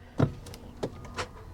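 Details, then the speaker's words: Vehicle at Copart, started with a jump pack: a couple of dull clunks with no cranking at all; engine is locked up, believed hydrolocked from flood water. "nah she's locked up she's locked up so yep I believe it it's a flood"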